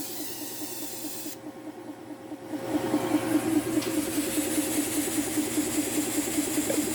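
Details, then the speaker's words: Tork CAB-50 plasma cutter, torch trigger squeezed but arc won't start: air hiss rises then pulses unevenly about twice a second, weak sputtering flow; low air pressure from compressor suspected, not confirmed; pulsing weak air flow. "Is a problem related to the compressor. You squeeze? e Don't come out, Torch not released The bow."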